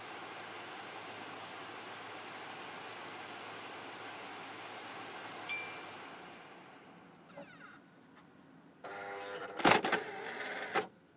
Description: Watch this video and you will hear this weird sound it happens every time I eject a disc and I have the Xbox 360 slim this is not a normal sound